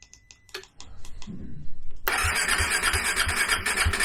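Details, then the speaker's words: Cold KTM 390 Adventure after the PowerTRONIC ECU was plugged in: the starter churns, then the single catches with loud uneven sputtering pops that won't settle. Hard cold start; owner suspects air in the fuel system after tank removal; it started only at wide-open throttle. "Because it didn't want to start until I gave it wide open throttle."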